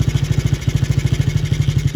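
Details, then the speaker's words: 50cc kid's quad just revived, oil checked: small engine runs with a fast steady pulse and a low droning whine underneath; odd mechanical noise, owner suspects the transmission. "It sounds like a transmission thing or something."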